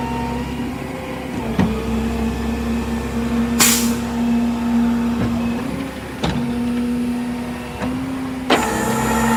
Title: Chevy van with bad wheel bearings